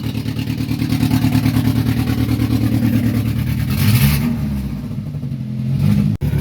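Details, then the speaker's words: 2006 Saturn Ion 3 with an exhaust pipe blown out on the side after a failed temporary JB Weld and aluminum tape fix, battery voltage low: loud, raspy low drone with a fast puffing beat that swells with a rev, an exhaust leak. "So let's get it started, and I'll show you how loud it is real quick. I'm not going to let it run long because I don't want to get hot, and I got to work with it. Hear that? That's loud. Yeah, that thing's loud."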